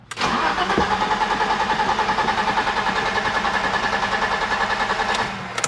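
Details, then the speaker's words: 1987 BMW 325i E30, sat outside after paint job then stopped running: steady starter cranking about 3.5 turns per second for five seconds, never catches, after cleaning the engine-to-chassis ground wire; ground not the cause, ignition coil next suspected. "Nope. So it's not the ground wire. Okay, so the ground wire didn't do anything for us."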